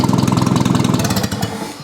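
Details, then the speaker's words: Old Rusty engine after firing order, carburettor and ignition timing corrections, recorded next to exhaust with no muffler: quick even putter, steady firing, no misses or knocks; normal healthy idle. "And it runs very smoothly, as you can hear. I'm now next to the exhaust and I have no muffler on, so this sounds real good."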